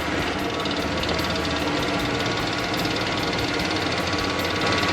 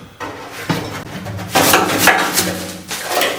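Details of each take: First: 1966 Ford Mustang with a temporary clicking electric fuel pump drawing from a gas can straight into the carburetor: quick steady clicking about three or four per second over the running engine; pump delivering fuel normally. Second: 1966 Ford Mustang fuel tank, dried out: loose, gritty clatter in uneven bursts as the tank is shaken, with a duller knock from the float; rust flakes rattling inside, so the tank is being replaced.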